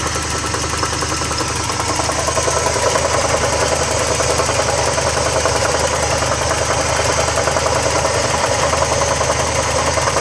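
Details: Porsche 944 petrol engine at idle: busy metallic rattle over steady hum, about three to four beats a second, began on the way home after refuelling and goes away when revved; cause unknown.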